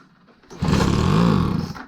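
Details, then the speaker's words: Craftsman 25cc two-stroke gas blower with damaged carb adjustment screws and leaking fuel cap vent, run on starter fluid. A fast buzzing burst rises, then dies after about a second. Runs briefly then dies, cause not confirmed. "And it dies down."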